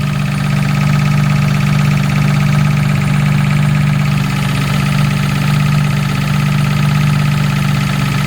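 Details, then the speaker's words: Jaguar MKII after reassembly, recorded from under the car with the engine idling: a steady low hum-whine with an even pulse underneath, pitch constant; the source is unclear but suspected to be the gearbox. "yeah it's hard to tell where that's coming from that noise it really does sound like the gearbox"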